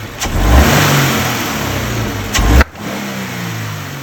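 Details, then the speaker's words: Subaru BRZ FA20 engine, pops under torque pulling away and up hills, worsening: revving engine snaps sharp loud intake backfires under load; cause found to be a missing direct injector seal. "Yeah, there's some pretty intense noises. So I've nailed it down to the engine. We're not quite sure exactly what it is, but it sounds very much like pre-detonation or like backfires from the intake."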